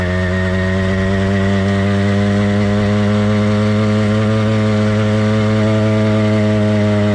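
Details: Warmed-up but not heat-soaked two-stroke motorized bike kit engine (single-speed, single-circuit carburetor): steady, even buzz at constant pitch with only faint occasional unevenness; normal warm running.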